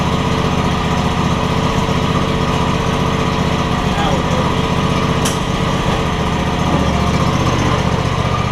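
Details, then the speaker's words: John Deere X300 mower after control module replacement for a no-spark problem; runs great. Single-cylinder engine running fast and even at steady speed, no misses or surging: normal running. "we're going to make sure that it goes forward and backwards like it's supposed to runs great now though"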